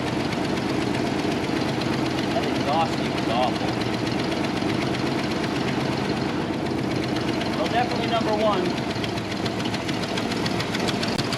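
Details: 1995 Toyota 4Runner believed not to have run in at least three years; the previous owner said number one cylinder might be dead. Lumpy, uneven idle with a steady stumble, a suspected dead cylinder; it has spark.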